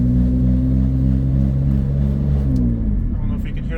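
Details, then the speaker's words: BMW 330Ci with exhaust cut off before the muffler, cruising: steady low drone under the engine, even pitch, no knock; owner suspects the very old, dry-rotted, underinflated tyres; humming noise while driving. "humming on the video too but maybe it could be the tires I did check the tires they're very old"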